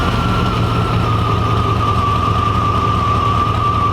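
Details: 1995 Chevy truck with 350 engine, new IAC valve fitted, idle screw adjusted to about 1000 rpm. Steady low idle with a thin constant whistle; code 35 and an unsettled idle point to a suspected vacuum leak, not confirmed.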